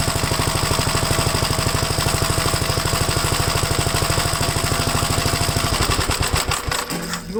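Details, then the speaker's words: Second Gravely project's old single-cylinder engine restarted after installing the gas tank and tightening the throttle rod: a steady, even idle with no misses, slowing as it is shut down. The owner is unsure whether oil is seeping into the exhaust. Normal running. "all right let me start it up again and see how it is yeah I think I got the throttle Rod tight enough yeah that was my bad on that one"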